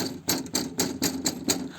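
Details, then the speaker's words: Van with a Fiamma F45s awning on its own roof rack, driving after foam was added to stop the legs rattling inside the casing: a residual light, sharp rattle about four times a second, presumed to come from the awning feet. "the little rattle. That is, I presume, off the feet."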